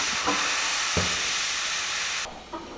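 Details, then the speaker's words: Porsche Panamera Turbo lowered after side-exit exhaust fitted: steady loud hiss of escaping air for a couple of seconds, then cuts off; front right air suspension bag leaking down. "Yeah, it sounds like a leak. All right, so as you guys saw, right when we put the car down, after the exhaust was done, the bag started leaking, the front right bag in the car."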